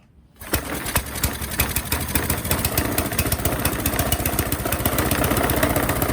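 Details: Qualcast Classic Petrol 35S cylinder mower fitted with a cheap replacement Chinese carburettor, jets adjusted: fast, slightly uneven beat with irregular pulses; runs a bit rough, blamed on the cheap carburettor.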